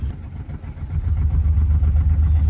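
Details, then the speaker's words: '91 BMW 735iL with an overheating problem, running after the cooling system was bled with no thermostat fitted: a low engine drone with a pulsing throb that strengthens after the first second, sounding wrong although the source is unclear. "That doesn't sound good."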